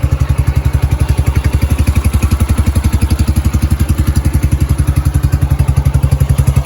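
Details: Yamaha YBR 125 single-cylinder started cold after a replacement secondhand electric-start part was fitted; steady, even thumping idle with a regular beat, no knocks or rattles; running spot on, healthy.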